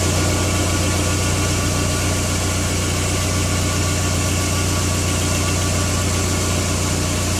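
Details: Skoda Octavia 1.8T (AGU) at idle: light, uneven ticking rattle over the low hum; dual-mass flywheel suspected, unconfirmed.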